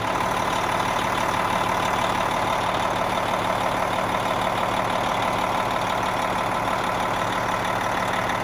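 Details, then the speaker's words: Cabover truck diesel after installing a new Industrial Injection 467 forged milled-wheel turbo (pre-lubed), first start; steady even idle with low rumble and faint turbo whistle, more than the old turbo. No leaks; runs healthy. "i wanna see this turbo whistles a little bit more than it used to oh yeah you definitely hear me guys"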